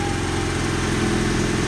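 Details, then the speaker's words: 1995 Honda Accord at idle after its exhaust was replaced to fix a major leak: a raspy, buzzy edge rides over the low rumble. An exhaust manifold leak is suspected, not confirmed. "sounds like a manifold has an exhaust leak now"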